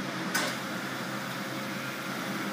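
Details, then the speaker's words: G-Tec TB-125 natural gas torch booster just started, refrigerator-type compressor running: soft even fan hum with faint compressor murmur, no knocks or rattles; normal running, very little noise. "now the machine is running be quiet what you hear is the band away the compressor itself is the kind of compressor that you find in a refrigerator and it makes very little noise himself"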